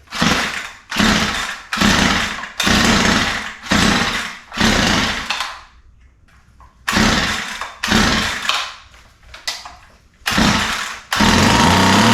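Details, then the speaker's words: Ryobi line trimmer after mixture screws opened from a lean condition: short revving bursts that sag and die, stalling between blips. Idle speed backed off too far, so it won't idle. "I've backed the idle off so far now it won't idle"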